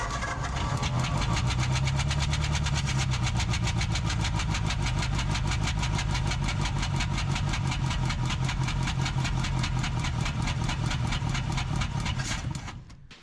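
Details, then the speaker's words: 1947 Ford Coupe flathead V8, first run in about 15 years after barn storage, throttle just hooked up: lumpy, uneven running with steady chuffing about four a second; down a cylinder, with one cylinder popping back through the intake/carburetor rather than out the spark plug hole. "Shouldn't be this cylinder that's popping through the intake because it should take the path of least resistance, which should be out the spark plug hole, instead of going inside of the carburetor."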